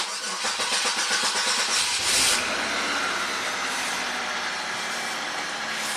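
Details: 2003 Chevy Malibu V6 after repairs for a P0171 lean code (leaking brake booster) plus brake and fuel lines: cranks briefly, catches right away, settles into a steady, even idle with no hiss or hunting; lean condition fixed.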